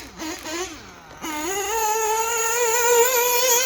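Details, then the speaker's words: Nitro RC engine: high buzzy engine picks up revs then holds a clean, even, steady scream with no stumbling; normal running. "I'm going to go ahead and throw in a little clip right here of the engine running normally."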